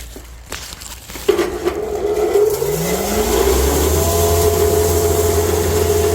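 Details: Cattle-feed grinder with rotor, run for the first time on hay fed slowly through the hay slide into a bag: motor winds up in pitch over about two seconds, then holds a steady hum with a light rattle of material. Normal operation.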